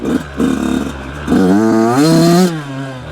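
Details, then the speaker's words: Brand new 2026 Yamaha YZ85 two-stroke, running on 32:1 premix, fouling plugs and dripping oil from the silencer: sputters and stumbles in a rich bog before clearing out into a clean rising rev, caused by rich jetting. "The excessive smoke is usually due to rich jetting, not too much oil. It can be caused by that, but at least that's from my experience. You can hear that sputtering."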